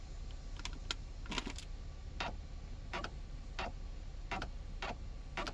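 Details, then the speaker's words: 2008 Hyundai Veracruz GLS 3.8L V6 after adjusting the stop lamp switch, which sat too far from the brake pedal: sharp irregular clicks from under the console over quiet idle as the shift lock engages with brake released, as it should. "You hear that noise comes from down there, and that's because I can't shift out of park unless I have the brake pedal depressed, and that's the way that it's supposed to be."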